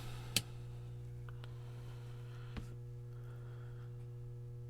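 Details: Leslie Model 55C organ speaker amplifier power transformer, on isolation transformer, nothing connected, about 650 V measured on the high-voltage leads (400 V B+): steady clean low mains hum, faint clicks; hum sounds normal, but the test bulb glows more than expected.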